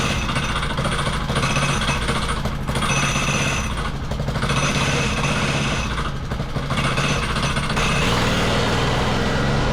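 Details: Wacker Neuson VP1030 plate compactor after governor, throttle lockout and carb adjustment: the small engine thumps fast and hard with a rough rattling beat as the plate vibrates steadily. It works normally; owner suspects worn clutch springs.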